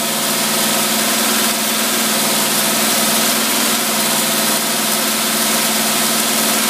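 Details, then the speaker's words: Holley T-pot carburetor tested on running engine, choke off, about 95 degrees ambient, fuel pressure three psi: steady even idle, smooth unbroken hum, no misses; running normally. "that there's running perfect right there"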